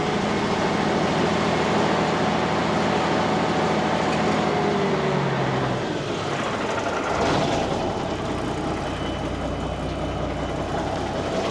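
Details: 1989 Marmon truck diesel being returned to service: fires and settles into a steady, even idle with a regular low beat; it holds air pressure, with a lot of water in the exhaust.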